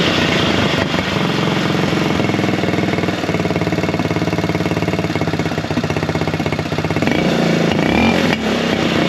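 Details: Buggy single-cylinder after air-filter foam work on the carburettor setup. A loud thump picks up revs cleanly with no popping or backfires. Smooth running, slightly louder than before.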